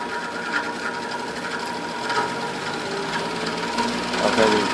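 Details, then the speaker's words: 20-inch metal household 110 V electric fan on high: weak, strained motor hum with faint scraping; blades barely turn, and not at all on low or medium. Seized or dragging motor suspected, not confirmed. "Go up to high, just barely moves. Real real slow."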